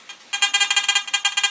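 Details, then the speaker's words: Garrett AT Gold metal detector, sensitivity at full, coil wires taped to reduce movement: silent until shaken, then rapid high-pitched bursts about ten per second; improved, but owner suspects a fault in the connection; intermittent chatter, not confirmed. "so I mean it's actually much better than that earlier but I think of there's something in the actual connection so there's not much I can do right now"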